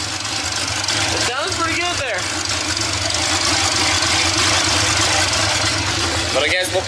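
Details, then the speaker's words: Budget LS-swapped Fox-body Mustang with new long-tube headers and a new harness (earlier NOx sensor harness pinched under the intake): loud raspy V8 idles low but fairly steady; idle too low, owner suspects a bad idle air control valve, unconfirmed. "it's still idling low though it's definitely still I only low leave it down below what do you guys think I don't I don't know maybe the eyle air control valve is bad"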